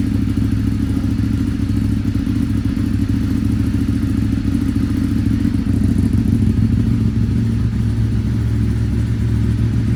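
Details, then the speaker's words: Ducati 848 Evo V-twin, abandoned non-runner with no keys, first start after sorting immobilizer ring; deep, even burble holding steady revs with no knocks, misses or rattles while warming up: normal running. "sounds lovely [Music] go back together now here yeah so it was all because of I'm going to show it the immobilizer ring there guys"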